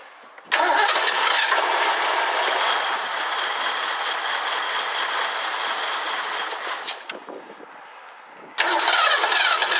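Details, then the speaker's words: 1984 Ford Mustang GT350 barn find, fuel poured in: catches and runs roughly about six seconds, sags and dies, then fires again; spark present throughout, so a carburetor fuel problem is blamed. "okay I'm gettin spark'd the whole time so it's not dying because it's losing spark I'm gonna give it a little bit of gas one more time just to verify but then that'll be it all say it's the carb"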